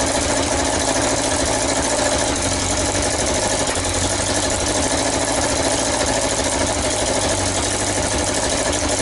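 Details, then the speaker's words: Yamaha XJ900S Diversion, first start after restoration: steady idle with sharp hissy puffing at every firing pulse; exhaust leak, first suspected at the manifold but blowing from the front header pipe joints, gaskets slipped or needing tightening. "so I fought it was blowing from the manifold their horrible forging flapping stands you could hear it says that it's blowing from these pipes"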